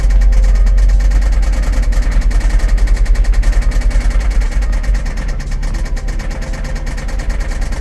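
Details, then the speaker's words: Jaguar idling after the fuel system, pump and tank were cleaned of sugar contamination and the filter replaced; deep, loud idle with a rapid pulsing beat and clacking on top; sounds almost the same as before; cause not identified. "That's got some nice sounding exhaust, but dang, why does it gotta be so clacky?"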